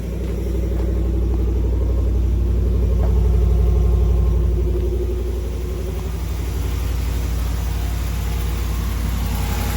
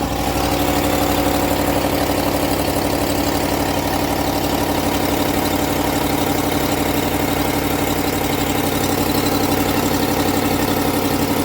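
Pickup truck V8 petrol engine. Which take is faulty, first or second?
second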